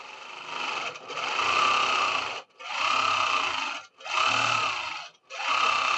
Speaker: Oh, nice and smooth, and I don't hear any popping. No popping at all.